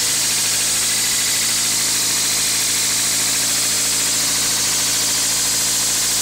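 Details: 2000 Toyota MR2 Spyder at idle with a fine metallic rattle riding over a thin engine note; something loose in the engine bay, source not pinned down.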